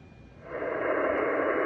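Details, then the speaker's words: HF receiver at 14.277 MHz with volume turned back up: steady, even hiss with no whistle riding on it after switching off a remote-control LED lighting controller that had caused a persistent interference tone. Clean band. "Volume's back up. The tone is completely gone. As you can see, toggling that lighting controller off eliminated the noise."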